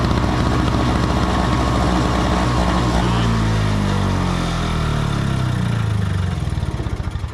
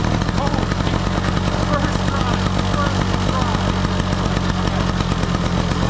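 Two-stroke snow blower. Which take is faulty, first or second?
first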